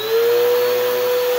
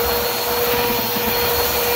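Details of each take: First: Bissell vacuum cleaner before repair: only a clean, steady motor whine with no brush thrum, because the beater roller isn't turning due to a broken drive belt. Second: Bissell vacuum cleaner after a new drive belt, running on the third setting over carpet: steady, even motor hum with a clean brush-roll whirr and no slapping or squeal; normal running.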